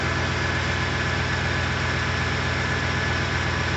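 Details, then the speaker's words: Freshly rebuilt, fully updated 2007 Ford 5.4L 3V V8 at first start, fan shroud and air intake not yet fitted, warming to operating temperature; smooth, quiet, even idle, no knocks or ticks, spilled oil burning off the manifolds; normal idle. "sounds good very quiet yeah she's gonna get stinky in here and burn off some oil on the manifolds"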